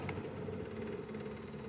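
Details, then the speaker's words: QiDi Q1 Pro 3D printer direct drive extruder at 250°C: faint fast even chatter as the motor strains, gears gripping filament but unable to feed or release it, jammed. "you hear that sound that's it grabbed the filament but it's not letting it's not releasing it"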